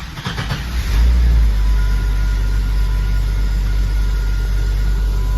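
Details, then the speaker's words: Jeep ZJ that had been hard to start with code 42 (Auto Shutdown), ASD relay replaced, fuel pump normal; cold start after sitting about 15 hours. It cranks briefly, catches first try and settles to a steady, even idle: a normal start. "สตาร์ททีเดียวติดนะครับนะครับรอบเครื่องดีเลยนะเต็มใจติดนะ"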